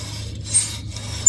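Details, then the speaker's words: Infiniti M45/M35 RWD front wheel spun by hand: short, high scraping squeals once per turn as a worn-down brake pad rubs the rotor, showing the pads are low. "That's because the pin for the brake caliper, or not the brake caliper, the actual brake pad is hitting the disc, which is causing a screeching sound, which means your brake pads are low."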